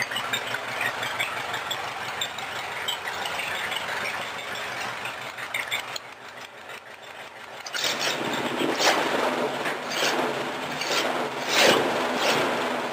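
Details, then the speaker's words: 1953 Cadillac V8 in a homemade rat rod after setting the timing and a small carburetor adjustment, following a long sit: even, steady running with a regular beat, no misses, knocks or smoke. Runs great. "and you know what she runs great not smoking for what it is and for long it's been sitting on I couldn't be happier"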